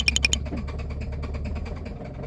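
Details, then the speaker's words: Genesis G80 with engine noise and oil loss from late oil changes, before repair: rapid, regular metallic tractor-like knocking over idle. Damaged crankshaft and metal bearings found, later replaced with new parts during engine boring. "경운기 소리 실화인가요? 이 소리 그냥 두면 정말 큰일 납니다."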